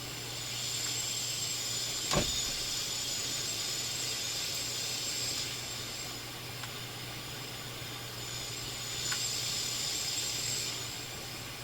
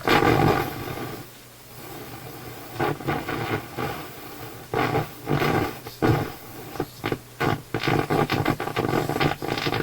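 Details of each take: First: Philips console stereo receiver on AM, between stations, during troubleshooting with a wire found disconnected: even, steady static hiss with no crackle, hum or dropouts, bass control clearly audible; AM section working normally. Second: Philips console stereo receiver on FM: harsh, raspy audio rising and falling in rough bursts; AM sounds fine; suspected improperly biased vacuum tube rather than IF problem, treble control oddly affects it; distorted output.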